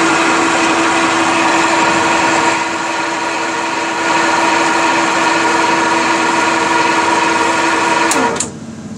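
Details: 1960s Craftsman horizontal bandsaw motor running: an even, steady hum with a constant whirring tone and no knocks or grinding, until the automatic shut-off switch turns it off near the end. This is normal operation.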